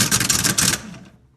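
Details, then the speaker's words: 1984 GMC Jimmy 350, starter that clicks and won't start: rapid buzzing chatter under a second that dies away, starter chattering instead of engaging, likely from an unsecured terminal; starter also suspected poor. "it's real chattery but trying to energize but it shouldn't sound like that and I bet a lot of it is because this terminal this gym that isn't locked down all the way"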